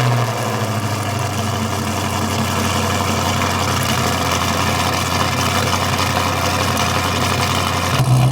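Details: Newly installed engine in a wrecked 2023 Corvette C8 being rebuilt; deep even V8 idle with a slightly uneven cam chop, running smoothly with no knocks or ticks.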